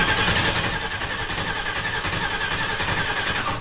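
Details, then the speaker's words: Newly V8-swapped mini truck on its first start attempt with temporary exhaust: the starter churns steadily but it never fires; there is no spark, the coil is not wired, and fuel is leaking from a loose fuel-filter hose clamp. "oh didn't leave it to the we ain't got no spark did I put spark plugs in it"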